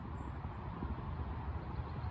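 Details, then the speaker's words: Passing truck heard from a 1991 Craftsman II tractor on its first drive with a new transmission. Distant truck rumble with loose, uneven low thumping underneath: the truck's flat tire flailing against the wheel well, sounding like a helicopter. "You can still hear that tire flailing away. That truck driver's got to know he's got a flat."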